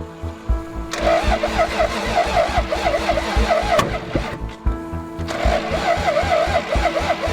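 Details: Toyota 7M-GTE straight-six (MA70 build) on first start attempts after a four-month rebuild; spark confirmed, cold start injector missing. Steady cranking pulses catch briefly then die: crank-no-start.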